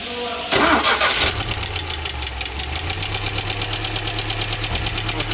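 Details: UMZ-4216 engine in an old GAZelle Business, 140,000 km, right after start-up: fast, sharp, even valve ticking about seven per second over idle; almost no oil reaching the rocker shaft, suspected clogged channel or wrong gasket.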